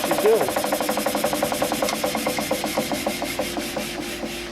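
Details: Quincy Model 325 air compressor pump, lower end rebuilt, on tank test run with newly mounted and wired starter; oil pressure 18–20 psi. Steady quick piston beat, about five pulses a second, with no knocks or misses; normal running.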